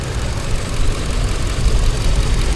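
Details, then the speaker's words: Ford 5.4 L Triton V8 after timing chain/phaser work with customer-supplied parts: deep heavy idle with uneven shaking drone, visible engine shake and misfire. "Let's see here. Definitely a misfire. You see that thing shaking? Shaky shaky shaky."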